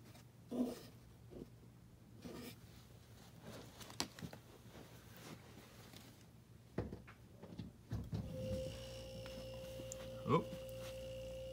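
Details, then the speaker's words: Frigidaire mini fridge LFPH33M4LM that stopped cooling, after replacing the compressor starter relay: compressor starts and settles into a steady, even hum; normal running. "actually hear the compressor humming now so it started up it's running"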